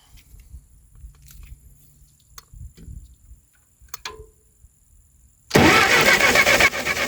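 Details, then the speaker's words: Ferguson TO20 tractor sitting three to five years, fuel on, no choke: quiet lead-in then loud rapid cranking near four beats a second that never runs; crank no start with faint spark, condenser to be replaced next. "it's sparking but I don't know if it's any better than what it was try it again yeah it's all right now we'll try it with the choke just to see what happens all right spark is still faint"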